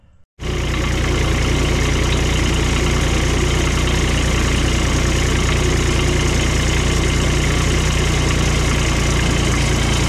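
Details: Scrap Cushman diesel mower, filters dated 19, long out of service, first start after freeing the engine with vice grips: deep, even diesel chug about 220 beats a minute with no knocks or misses; engine runs healthy.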